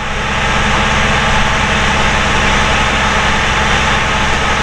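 Loud, even diesel rumble with a steady beat and no knocking or misses; engine pulling in gear and running normally.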